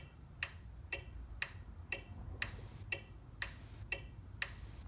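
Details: Overhead Door Model 556 garage opener, nonfunctional: relay clicks about two per second pacing the light's 15-flash code, meaning the board reads the door as both fully open and closed; owner suspects a bad board component, possibly the LM2901N chip.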